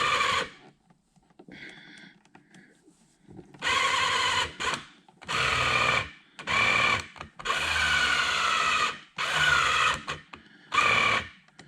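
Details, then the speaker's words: 1985 Porsche 928S project car, electrical check: short bursts of high, buzzy whir about a second each as the power mirrors are adjusted from the switch; loud but working normally. "well that's loud but it's working"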